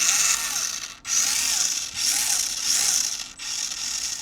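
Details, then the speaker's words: Hobby Plus 1/24 Speck brushless 2WD short course RC truck off-road: a high gear whine cut by dropouts about once a second, with ratchety clicking; the owner suspects debris jammed in the drivetrain or a lost gear tooth. "It started making a clicking noise. I don't know if there's something jammed in this thing, in the drivetrain, but it sounds like he lost a tooth or something."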